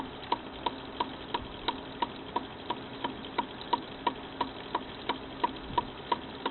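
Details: Frameworks ball lift lower pulley wheel knocking with sharp, even knocks about three a second over a low running hum; the pulley's bearings are going out, and the knock comes from inside the bearing rather than the wheel hitting its housing.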